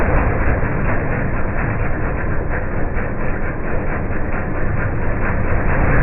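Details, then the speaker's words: MTD 5 hp chipper/shredder, owner guesses 1990s-built, running after a carburetor kit replaced the bad carb: deep steady engine drone with chipping rumble over it, sagging slightly as wood feeds in; normal running under load. "great making pretty quick work of this pile here but it is work so it's an mtd five horse chipper shredder"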